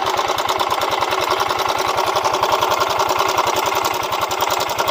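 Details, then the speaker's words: Yamaha Mio M3 125 scooter running rough: fast steady metallic clatter over idle, three to four ticks a second; slack cam chain from a weak, failed tensioner is the cause of the rough sound. "Nah ada suara ceklek ceklek gitu bro Nah dengan tuh nah ini yang bikin kasar"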